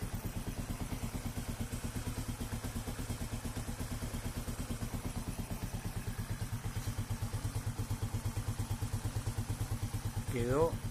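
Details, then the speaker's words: Corven Energy 110 single-cylinder, earlier chain noise and an extra knock with suspected piston slap or pin and oil burning: after reassembly it idles with an even, steady beat, no knock or chain rattle, and a brief squeak. Normal idle. "hecho una seda el motorcito."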